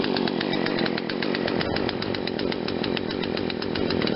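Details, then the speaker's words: Poulan Wild Thing 40cc two-stroke chainsaw after aftermarket carburetor replacement, choke off: starts slowly and runs unevenly at low speed with a slight stumble, owner thinks too rich low-speed mixture causing bog; happier at high speed. "Starts a little slow, and then once it, I think at low speed, I think we got too much gas because it's kind of bogging at first."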